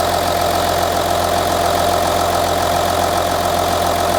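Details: Audi Q7 3.0L diesel after replacing the cylinder 4 fuel injector (had P0272 misfire and P0087 low rail pressure): steady even idle with light normal clatter and no misfire, and no codes afterward.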